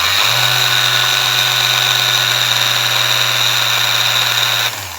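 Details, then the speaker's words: Small Ryobi sander running: high steady motor whine with hissing buzz, then winding down; it intermittently loses speed drastically. Bearing and armature look very dirty and need cleaning. Cause suspected, not confirmed. "Okay guys, and here is the little sander, and it doesn't run too good. Let me play the music to you. It loses speed sometimes."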